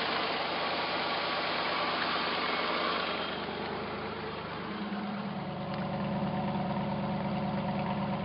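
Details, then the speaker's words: Chevy-powered 1983 CJ7 hot-rod rock crawler, first time running since purchase: steady, even V8 idle, smooth low rumble, running on all eight with no knocks or misses; carburetor secondaries opening too soon, exhaust leaks noted. Normal idle. "runs like a sewing machine guys this is the first time i've had it running"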